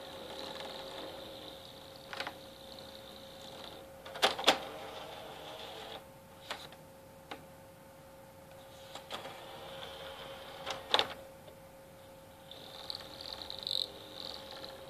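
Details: PS3 that started this noise at the end of a Black Ops 2 game and has not read a disc since: thin, high squeak in short stretches with light clicks between, from the disc drive.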